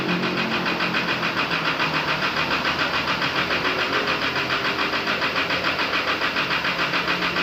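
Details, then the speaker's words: Isuzu D-Max diesel after engine rebuild (fitted new), at idle: even, steady clatter with smooth regular pulse, no knocks or misses; quiet, healthy-running rebuilt engine. "เขาคนใหม่ตั้งในใหม่นะเห็นเงียบเลยนะครับสุดยอด"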